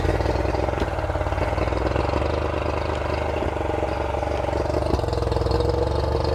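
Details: Revived outboard: steady, quick, even putter with no hunting, still idling a little bit high.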